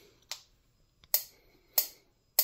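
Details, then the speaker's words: DIY EMP device built from a Harbor Freight electric fly swatter, held sideways: sharp, crisp snaps about every half second over near silence, a regular pop-pop arc across the spark gap; normal arcing, device works. "you can hear the arcing that means it's working"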